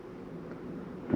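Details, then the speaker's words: 2024 Sierra 4003MB trailer furnace turned on at the thermostat: after a quiet stretch the blower kicks on with a steady hum and soft roar, expected to run about 2 minutes while cycling; normal start-up. "right now you'll notice you'll hear that run for a little bit about 2 minutes CU it takes a minute for those to cycle through"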